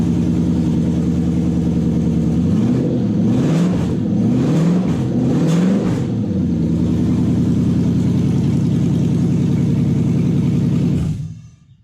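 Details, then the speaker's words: Toyota 1UZ-FE V8 on new conversion wiring loom with 40/40/40 ECU: catches, takes a few clean throttle blips, settles to an even smooth idle, then shuts off cleanly; starts and runs healthy. "Put the loom on, plug everything in, power, ignition and start, and it goes."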